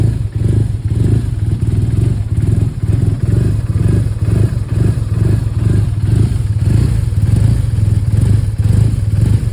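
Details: 2011 BMW R1200R boxer twin idling unevenly, the low thumping beat stumbling and clattering about every second; rough idle with misfires.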